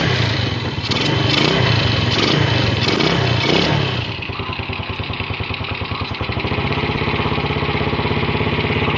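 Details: Yamaha Vega RR/ZR single after combustion-chamber carbon cleaning with foam cleaner: revs up raggedly for a few seconds, then drops to an even, steady putter at idle; normal running.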